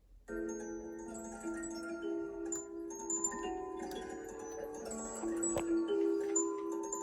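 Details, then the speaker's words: Mandolin cylinder music box, possibly Mermod Frères, previously improperly adjusted, now adjusted and oiled: clear, bright comb notes in steady tempo with no buzzing or dropped teeth; plays properly. "but they're nice that plays. Every song sounds as good as that."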